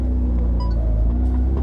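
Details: 1967 Alfa Romeo Duetto Spider on test drive after electrical work, carburettor tuning and valve clearance setting: deep steady engine rumble under road and cabin noise, no knocks or misses; running healthy.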